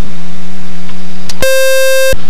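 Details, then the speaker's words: Experimental RV7 taxiing. A low engine hum, then a short click, then a steady high alarm tone of about three quarters of a second. It shows low voltage, and an alternator drain or charging system fault is suspected but not confirmed. "10 drain, low voltage. Out in the airfield. Could be an alarm because of the charging system here."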